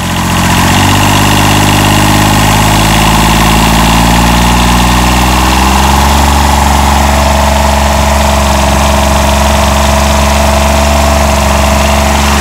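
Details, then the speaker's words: 1990 John Deere 332 mower, 3-cylinder diesel, after repair (owner thinks an interlock issue, not fuel): steady, slightly lumpy idle with an even low drone, still sounding a little weak though improving; engine running weak. "still sounds a little weak [Music] honestly starting to sound a little better though and I think it's enough to get the lawn mode"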